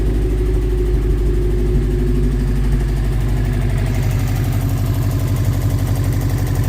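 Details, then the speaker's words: 1998 Subaru Forester S boxer engine, 218,000 miles, first start in probably years after timing repair: steady, even low idle rumble with the timing spinning and no knocking or ticking; normal healthy idle. "Timing is spinning. Nothing's making any horrible knocking noises."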